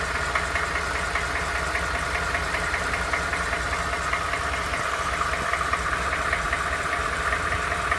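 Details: Used Ford F-150 at idle, knock noticed after 1000 miles of ownership: sharp, regular ticking knock roughly two or three per second over the engine; clear engine knock, awaiting dealer diagnosis.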